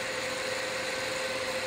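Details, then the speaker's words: Intel S5000XVN dual Xeon server motherboard (eight real cores) booting Windows 7: loud steady rushing air and constant mid-pitched hum without surging or rattles, normal server cooling fan noise, not even at max fan speed. "Having Eight real CPU calls rather than having four and then four hyper threaded means this really is quite a beast quite a noisy Beast as well"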